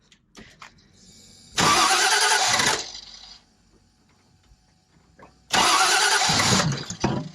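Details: 1968 Mustang Fastback with newly installed Holley Sniper EFI 2: two loud bursts of cranking that catch and fire a few seconds apart; engine starting.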